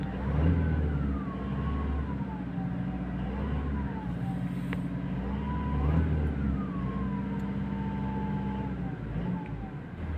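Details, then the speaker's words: Toyota Hilux diesel, 27,000 km, customer complains of a whistle from the engine side also heard inside; thin whistle rising and falling with each throttle blip over diesel rumble; mechanic suspects turbo, air filter debris found, not confirmed. "Customer की complain है इसमें से city news आती है engine की side से यह अंदर भी आवाज़ ए रही है"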